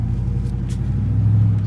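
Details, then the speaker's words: 2002 Chevy Silverado (possibly 2500) with noise in turns, driving straight: smooth, even low rumble with no clunks, grinding or whine; driveline normal going straight, noise only when turning. "suppose everything is fine, as you can see right here. No noise, good, smooth, right?"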